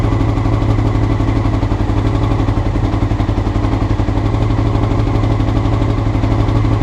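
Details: Honda CBR motorcycle, clip from before the float needles were changed: fast idle near four pulses a second, stumbling beat with a wavering low drone; rough idle, cause suspected, not confirmed.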